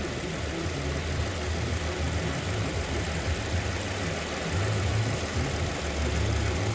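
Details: 2014 Dodge Durango 3.6L 4x4 with a P0304 cylinder 4 misfire despite a new coil and injector, warming up: low, steady idle with an even firing note, no knocks or ticks standing out; idles smoothly.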